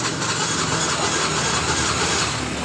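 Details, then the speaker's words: Yamaha Mio J scooter that died while riding: the electric starter whirs but the engine never fires. The kickstarter feels very light instead of stiff, pointing to low compression as the cause of the no-start. "dengarkan jadi beberapa kali kita e menggunakan electric starter motor ini memang susah hidup tapi ketika kita cek di bagian dari engkolnya terlebih dahulu seperti ini terasa engkolnya ini terasa sangat ringan"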